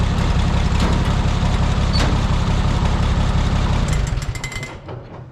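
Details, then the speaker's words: Oliver 77 tractor, freezing cold December day, after a hard start, suspected flooded: slow, regular cranking chug that never catches; owner suspects not enough fuel, possibly frozen fuel, or lost spark. "I don't think it's getting enough fuel. It was so cold, the fuel free solid or what?"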